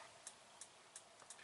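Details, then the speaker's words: Brand-new NexusRV fridge switched on with the propane off: sharp, steady ticking about three times a second as the gas igniter clicks and fails to light. It should auto-select AC power but does not, and a check light soon comes on. "the frigerator when we turn on the frigerator hear that hear that clicking that clicking is the gas"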